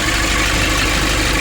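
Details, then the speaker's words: 2005 Nissan Urvan diesel after the faulty pump pressure bolt was replaced: steady, even idle clatter with no stumbling, knocking or hunting. Normal idle, no leaks. "We already solved the issue. The issue was very small. It's just a bolt."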